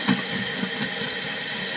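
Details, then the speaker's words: Old toilet after freeing a sticking fill valve: soft steady hiss of water running into the tank with no shutoff; the mushy worn rubber flapper lets water leak into the bowl. "we've got a little bit of leaking you know that that rubber stoppers getting mushy so the water still leaks into the bowl from there"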